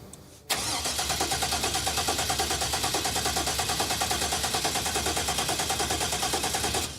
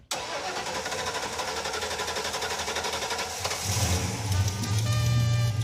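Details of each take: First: 1986 Pontiac Firebird Trans Am with an aftermarket ECM wiring harness: steady starter cranking at about three pulses a second that never catches. The fuel relay clicks, but the pump is not heard pumping (it was heard earlier with an empty tank). Crank, no start, no fuel delivery. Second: 1986 Pontiac Firebird Trans Am after replacing a leaking fuel hose that was pouring gas: short crank, then the engine catches and settles into a steady, fairly even run with a firm low rumble; starts and runs properly.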